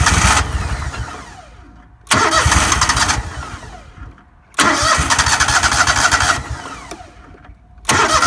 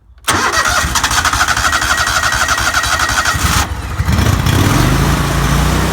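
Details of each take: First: Four-stroke lawnmower being winterized, fuel tank drained and run until it conked out: three roughly two-second cranking bursts, the engine spinning but never catching. No start because the carburetor is empty. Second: Lawnmower during winterizing, running on ethanol-free TruFuel with choke to flush out ethanol gasoline and dry the carburetor; catches quickly, settles into a steady even run and picks up speed smoothly, no misses or knocks: normal running.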